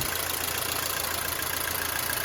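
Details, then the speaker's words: Mercedes-Benz W212 M271 at idle, oil level full: fast light ticking from the top end as the hydraulic lifters knock again; owner suspects antifreeze entering the oil and considers replacing the lifters or changing the oil. "По сути, проблема с гидравлическими толкателями клапанов снова возникла. Они снова начали стучать. Вот так, по сути, они и гремят."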